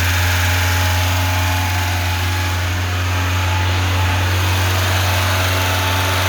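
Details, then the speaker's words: Lada 2104 carbureted engine, choke pushed back in, idling steadily on a temporary fuel feed; smooth constant low drone, no sputter or surging. Owner suspects a bad fuel pump but is unsure. "okay it's without the choke she's still running let's put more guessing in okay she's running really good I can't believe it"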